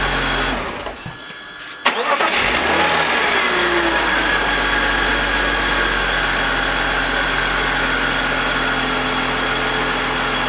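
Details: BMW E46 with M52TUB25 engine, VANOS disconnected while testing a suspected VANOS grinding noise (worse at startup): cranks, catches and settles into a smooth, even idle with no grinding and no RPM drop, a normal idle.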